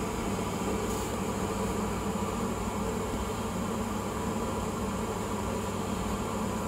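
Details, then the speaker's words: Glow Worm Micron 50FF boiler fan after WD40 on the motor shaft fixed an intermittent no-start and whirring: steady, even fan hum with no whine or squeal, now running smoothly and freely. "all right it sounds a lot better doesn't have that like pitch kind of squeal going on"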